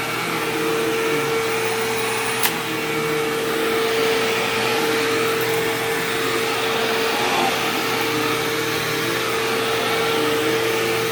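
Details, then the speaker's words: Sharp Twin Energy vacuum cleaner vacuuming a living room: a thin, steady high whine sits over the suction rush without changing pitch; squealing eased after running a while and returned slightly after shutoff, cause unknown. "Now, granted, this is a high-pitched whining noise, so my earplugs are probably not going to filter it out. But hopefully it makes a bit of a difference."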